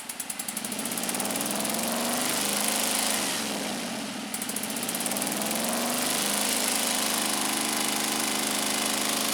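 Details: Scag Turf Tiger 61 with Kohler CH25S engine, coil wires pulled one at a time: uneven, lumpy running about four pulses a second with a speed dip; one cylinder dead from a failed ignition coil, shutting off when blades engage.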